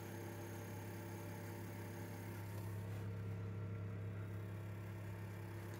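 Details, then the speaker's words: Newly fitted 12 V compressor fridge in a van, wired on 2.5 mm cable through a 20 A switch, not yet boxed in: low, steady hum with a faint even whir; compressor running smoothly, normal. "see how cool it gets now I don't know if you can hear it but that's it running"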